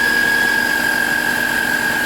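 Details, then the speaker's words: 1998 Subaru Legacy Outback, whine when AC and headlights are on, idling under electrical load: loud steady high whine from the alternator; voltage drop test shows 1.5 V lost along the alternator cable, charging circuit fault. "boy oh boy oh boy is that bad boy screaming huh so here's what we're gonna do we're going to learn something called the voltage drop"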